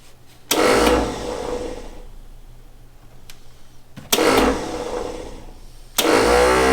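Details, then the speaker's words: 1960 Ford Ranch Wagon, OHV inline six, sat 39 years in a junkyard: three bursts of high free-spinning whir winding down with no cranking; starter spins but bendix not engaging, starter to be pulled. "this turtle bendix isn't engaging just gotta talk to it a little bit"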